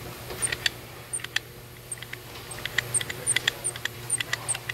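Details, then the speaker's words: 2017 Chevrolet Silverado 6.2L with P2101 throttle actuator code, throttle body removed and dirty, engine off; sharp high chirpy squeaks each time the blade is moved by hand, seemingly from the actuator motor; suspected, not confirmed. "right there is concerning so and it sounds like it's coming out of the motor itself"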